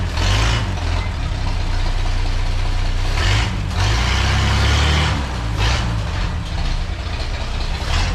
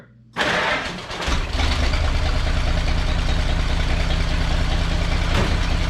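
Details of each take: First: Old splash-lubricated inline six idling smoothly after exhaust leak repair and separating crossed plug wires; deep, steady low rumble with even beat, no puffing or ticking at the manifold. Normal idle. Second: Engine catches and settles into an uneven idle, the beat stumbling now and then; one cylinder missing because two spark plug wires were routed touching each other, crossfiring.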